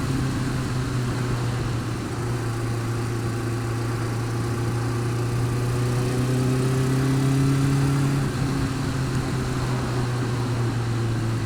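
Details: Honda Fireblade engine running steadily with a light, fairly regular tick over the low hum; worse when cold, quieter but persistent when warm; feels slippy; cause suspected, not confirmed.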